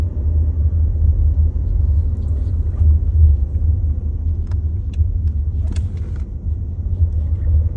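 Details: 2022 VW Tiguan SE R-Line idling with start-stop activated: deep steady low rumble with a slow throb, nothing sharp on top; vibration drone whose source and cause are not pinned down.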